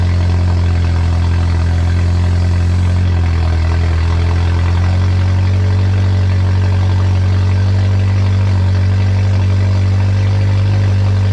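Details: K20-swapped Honda EF sedan on first start, turbo not yet installed, 5 quarts oil, started from the key: loud, deep open-exhaust rumble holding a steady idle with small speed changes and no stumbling; normal idle.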